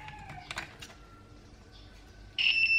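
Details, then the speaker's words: Sunhouse hair dryer not powering on, continuity test of the cord: steady high beep when probes touch, both wires conduct; fault is instead the stuck switch on the fan side. "dây thông này hai dây thông như vậy là không lỗi công tắc"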